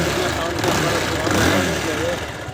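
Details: Bajaj Pulsar 220F after a sound fix with the timing set correctly and parts cleaned, started after reassembly: steady even idle with no knocks or rattles; normal idle.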